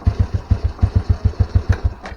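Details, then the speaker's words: With new aftermarket starter motor: low thumps about seven per second, starter spins weakly but engine won't catch, intermittent; worn, high-resistance starter relay contacts can't pass enough battery current. "Jadi saat kita kunci kontak on, meskipun ini ada bunyinya, Nah, kadang bisa kadang enggak ya. Nah, ini bisa."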